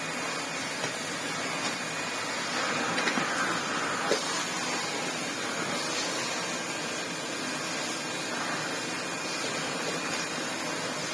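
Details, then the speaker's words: 1987 Hoover Sensotronic System 20 vacuum cleaner on lower speed: steady motor roar with gritty grinding from a worn motor bearing; fine on normal speed, bearing replacement planned. "On a lower speed, obviously, you can hear the bearing grind away."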